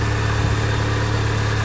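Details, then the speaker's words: 2005 Mini Cooper S R53 supercharged petrol, after replacing bypass valve plus earlier timing chain, supercharger service, gasket and fuel work: steady even low hum, smooth idle, no knocks or misses; sounds better than before, normal idle. "I think that even uh sounds like it's running better than uh than what it did before"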